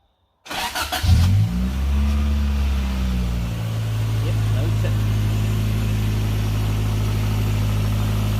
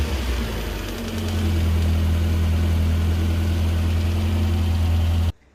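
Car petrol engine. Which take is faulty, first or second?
second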